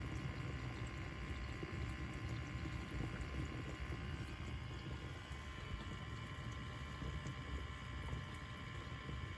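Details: LG dishwasher circulation pump runs with a steady rough hum and whir under the wash water, from worn motor bearings; the replacement bearing lasted only four months, likely because a faulty shaft seal let water through.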